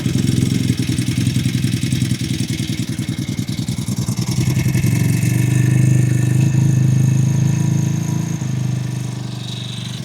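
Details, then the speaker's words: Cheap Amazon 49cc four-stroke pocket motorcycle, first start after fuel primed: small single-cylinder idling with steady even putt-putt, three to four beats a second, rising slightly then settling, almost like a dirt bike; running normally. "It sounds a lot less stupid than I thought it would. That's funny. That actually almost sounds like a like a dirt bike."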